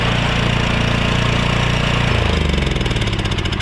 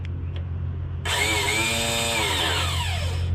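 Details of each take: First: Honda Harmony lawn tractor engine, with air filter refitted and fuel cap on: smooth, even low drone, then firing beats space out as it winds down; started without hesitation, carb running fine. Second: Honda Harmony lawn tractor found roadside that would not crank, starter jumped directly with cables: a high whirr spins up freely and winds down without cranking. The Bendix isn't engaging; owner suspects a sticky starter.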